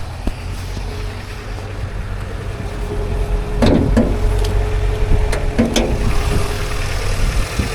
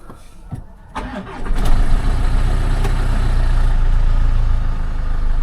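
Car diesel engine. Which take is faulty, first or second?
second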